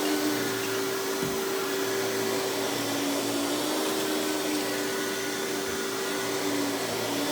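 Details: Hoover PowerMax Supreme 850 S3609 canister vacuum, 1990s, non-original hose, on high speed with power brush: steady, even motor whine with constant tone, no pitch wobble or rattles; runs very smooth, not the quietest; normal running.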